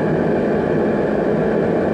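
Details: Riello RDB kerosene oil burner after new Danfoss 0.6 USG/h 60° EH nozzle, with pressure gauge fitted while adjusting pump pressure (around 8-9 bar): steady even fan and flame roar, no pulsing or cutting out; firing normally.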